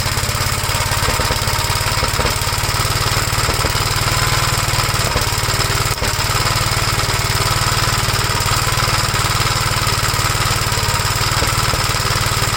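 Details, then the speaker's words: 1956 Gravely L single-cylinder tractor idling on the known-good 1957 LI carburetor: uneven, lumpy beat of about three pops a second, stumbling now and then; rough running, owner suspects an earlier governor runaway to full throttle damaged the head gasket or something else. "okay so we know this carburetor is good there's something else WR with the engine so I'm figuring when the governor had the mind of its own and revved up Full Throttle it revved up mighty damaged the uh head gasket or something else"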